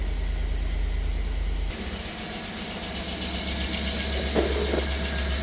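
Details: 2009 Chevrolet Tahoe V8, 225,000 miles, P0300, low compression but passing leakdown, new plugs: loping idle with uneven stumble and intermittent tick; misfire, suspected intake valve not actuating, lifter possibly sideways scraping the cam.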